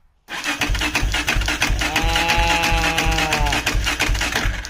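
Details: Suzuki LTZ400 ATV after a new OEM stator fitted: even starter cranking at about three beats a second with a steady whine, turning over freely but not firing yet.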